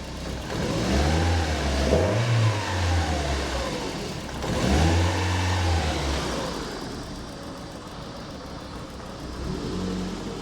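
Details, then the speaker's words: Fully built 2-litre N7A 16v turbo engine (forged pistons and rods, Garrett T34) on a base map, revving twice and settling smooth and quiet with no knocks or ticks; a rattle heard in the car is traced to the gearbox. "that is nice and quiet. I'm happy with that."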